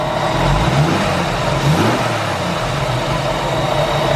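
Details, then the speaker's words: Jeep YJ 4.2L (258) six-cylinder after swap to a 4.0L cylinder head: steady hum with quick throttle blips rising and falling cleanly, no knocks or ticks; revs smooth and healthy. "Well, you can hear it. It runs nice and smooth. Very much worth the upgrade. Runs great. No problems at all."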